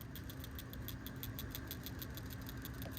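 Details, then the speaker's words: 2021 Subaru Outback PCV valve at the 60,000-mile service, removed from a warmed engine and shaken by hand: light, crisp metallic clicks. The new valve rattles freely and the old one rattles less; a free rattle means the valve is good. "Hear that rattle? Good. Old one. Not much rattle, okay? So my understanding is that you need to have that sound for this to be good to go."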